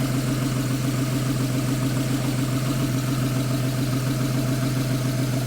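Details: Porsche 911 after replacing belt tensioner and serpentine belt: steady, even idle with smooth low hum and no squeal, chirp or rattle from the belt drive; sounds healthy.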